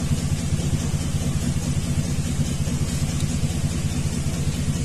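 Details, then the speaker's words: 2000 Chevrolet 2500 6.0 with codes P0300, P0171, P0174 at idle, bank-two O2 sensor unplugged in open loop: deep uneven thump with rhythmic exhaust stumble, consistent cylinder-two misfire from a fouled plug; also an EGR tube vacuum leak. "now it's showing consistent misfires on number two though I never did check the plug on number two and this far is on number six"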